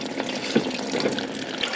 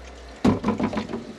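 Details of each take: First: Concealed toilet cistern on a bathroom remodel, after the top valve was knocked: constant hissing trickle into the pan with no flush; cistern valve still passing and the cause is unclear. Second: Concealed toilet cistern on a bathroom remodel, original valve refitted: water rushes and splashes, then settles into an irregular gurgling fill with no hiss of passing water; normal fill.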